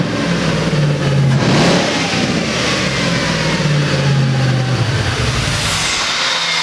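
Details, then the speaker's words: Ford F100 on Crown Vic frame, V8 first start after swap: uneven surging idle with loose beats under throttle blips; rough idle because mass airflow sensor was left unplugged. "the rough idle that it had on it I didn't have my mass airflow sensor hooked up the one thing I has the one thing I missed"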